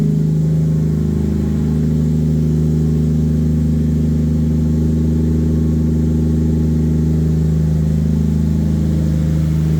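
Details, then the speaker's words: Normal idle: an 800hp 2JZ turbo Lexus IS300, wrecked in a front-end collision and sitting unused, started on a replacement battery with no coolant and was run only briefly. Smooth, even six-cylinder idle with a deep steady drone, no knocks or misses; running healthily. "Woo! Hey! She still runs like a champ. So that's good."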